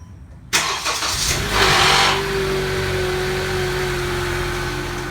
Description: Grinding/rattle noise of the variable valve timing control (VTC) actuator of a 2014 Honda CR-V when starting the engine at low temperatures (40 degrees Fahrenheit (4 degrees celsius) and below)